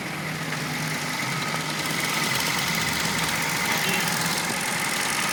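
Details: Hyundai i10 that would not start, after ECM repair: small engine idles with a steady even hum and faint high whine, no stumbles or misses; repair successful.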